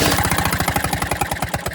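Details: Lawn-Boy mower engine spun over briefly with a socket during reassembly. It gives quick, even popping of about eight firings a second with no knocking, catching briefly; the timing sounds good: engine fires when spun over.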